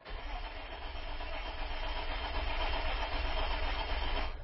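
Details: Isuzu Rodeo with newly replaced fuel pump cranking steadily at about three and a half pulses a second, never catches; no fuel pump prime heard, no tach signal while cranking; no-start caused by an open in the fuel pump wiring, not the pump.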